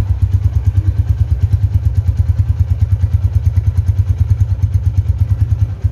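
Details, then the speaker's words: 2011 Tiger Revolution (Tirev) limited edition, 10,000 km, idling, heard from a distance: deep, even exhaust thump about three beats a second, no rattle or knock; super smooth, quiet engine, normal running. "kalau yang masih nyes KM rendah seperti baru itu kayak gini teman-teman di mesin gak ada suara apapun super halus banget kita dengerin dari jauh ya stasioner langsung"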